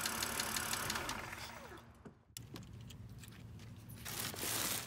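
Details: 2006 BMW 330i (E90) N52 petrol engine running: quick, light ticking from a noisy hydraulic lifter; later quieted by adding Lucas heavy-duty oil stabilizer.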